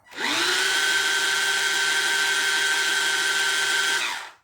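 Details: Ride-on Barbie Jeep (ex-NewBright Brutus) motor on the existing ESC spins up to a steady high whine, holds an even pitch about four seconds, then winds down; smooth and healthy, so the motor is not at fault. Owner suspects the ESC cannot supply enough voltage.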